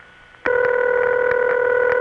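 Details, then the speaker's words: Early-1980s Bell System ringback: a steady ring tone comes in sharply and holds, slightly gurgly from equipment on the line. Genuine, normal ringback tone, shown for contrast with a subtly wrong imposter. "Let me show you what one of those should sound like. Ah, there. Now see, doesn't that somehow feel better?"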